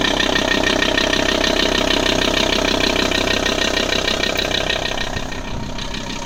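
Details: Audi A6 C4 2.5 TDI (AEL engine) diesel idles with a steady, fast rhythmic clatter of about three beats a second; strange noise of unidentified cause.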